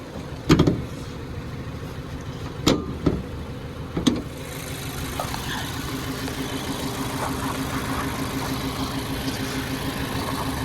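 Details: 2015/2016 Mazda 3 idling with a blinking check engine light and codes P0300 and P0302, a cylinder 2 misfire; clunks from handling, then a faintly lumpy, uneven idle. Plug, coil or fuel cause not yet known.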